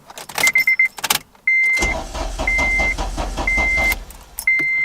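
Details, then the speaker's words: Car won't start after battery charged, relay reconnected, lights staying on with key off: warning chimes then steady starter churn about two seconds with no firing; crank no start, suspected electrical issue, fuel rail appeared dry. "just keeps doing that tries to crank nothing yeah nothing"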